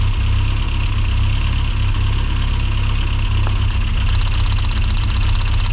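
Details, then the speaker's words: Rover Mini Cooper S Sport 5, over 106,000 miles, long-standing rough idle, after new fuel injectors; plug leads pulled one by one: idle turns lumpy and loping with a definite rpm drop, a misfire from the disconnected plug lead. "Right, straight away, number 4, we're getting a definite drop. Number 3, you can hear it misfiring now."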